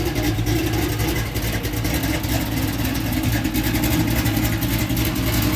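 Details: LS-swapped, fuel-injected Oldsmobile Cutlass started after an electrical no-start fix: deep, even V8 idle with steady firing that picks up cleanly under throttle, no stumble or misfire; engine running healthy.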